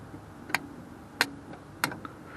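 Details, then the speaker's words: 1955 Oldsmobile Super 88 (324 Rocket): three crisp clicks of the voltage regulator contacts pulling in while the generator is polarized by jumping the battery to the field terminal with the ignition on. "You can actually hear it. pulling on the contact inside here. But that's supposed to polarize the generator with the regulator because it basically what it does is always holds a little charge."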